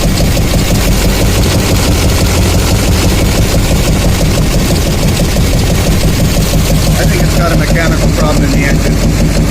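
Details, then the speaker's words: 2007 Chevy Silverado 2500HD 6.6 Duramax LMM idling with a misfire: rough idle, regular pulse near two per second with a harsh airy rasp that does not change when cylinders are cut; owner suspects an air induction noise rather than injectors. "So you can hear the way this thing sounds when it's running. It's not typical of an injector noise in my opinion. It sounds like an air induction noise."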